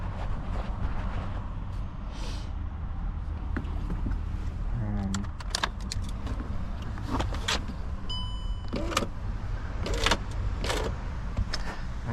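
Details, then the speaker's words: Car front right door: window shattered inside the door while fully wound down; as the window motor runs, loose crunching and tinkling shuffles of broken glass sliding around the regulator. "you can hear there's glass shuffling around in there. the my window has smashed like my window has smashed inside my door."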